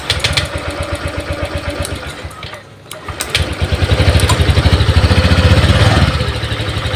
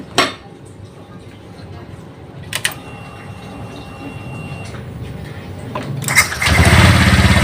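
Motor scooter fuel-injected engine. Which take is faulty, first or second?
first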